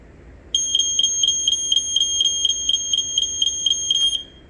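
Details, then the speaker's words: Smoke alarm of the early-to-mid-80s Fire-X FXB type, test button pressed: piercing high beep pulsing about four times a second for roughly three and a half seconds, then stops; healthy test beep. "as you can hear, just like my Sunbeam, it does that classic 5.6 beeping, which pretty much all of the early to mid-80s Fire-X FXBs did."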